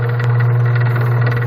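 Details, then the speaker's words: Coast Spas Mirage hot tub with no heat: a steady low motor hum with a faint, irregular rattle on top, likely from an equipment fan at the back that has come loose, a typical failure. "I mean, we really need to turn this tub off, but you can hear this rattle going on too. That's usually there's a fan back here."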